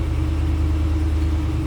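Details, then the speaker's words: 2021 Ram 2500 Tradesman 4x4 with 6.4-liter Hemi, heard from the rear at the tailpipe with a stock exhaust; deep, even low rumble with no misses, ticks or rasp: normal idle. "Slip around the back so you can hear it run. Nothing crazy as far as exhaust goes. Nothing over the top there."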